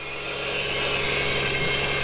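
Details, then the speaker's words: Subaru SVX idling after new plugs and coil packs, octane booster added: steady, fast ratchety whirring over the idle, unchanging; owner is pretty sure the AC compressor is the source and will probably remove the belt. "i'm pretty sure our ac compressor is making that noise"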